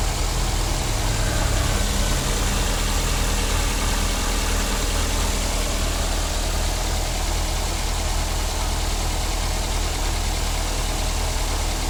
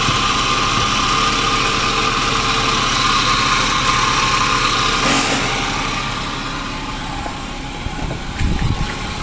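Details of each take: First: 2009 Daihatsu Grand Max after the idler pulley set was replaced for a humming noise: an even, low idle hum with no squeal, chirp or whir from the belt side. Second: 2009 Daihatsu Grand Max at idle: engine noisy with a steady high-pitched hum not following the engine beat; V-belt removed to locate the source, traced to a worn idler/tensioner pulley bearing.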